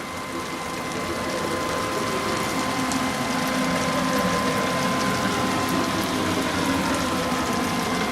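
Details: Onefinity Gen 2 Journeyman CNC: a steady high whine with faint ticking about four times a second as the gantry travels along the axis. Bearing noise is suspected, not confirmed.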